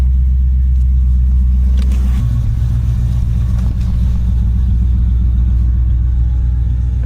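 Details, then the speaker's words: Ford BA/BF Falcon after installing a Walbro 350 l/hr fuel pump upgrade, idling just after first start: steady low rumble, even throughout, with no whine or buzz from the fuel pump; healthy. "I can't hear it at all. I was a little bit concerned that it was going to be noisy, so there's absolutely no sound from the fuel pump."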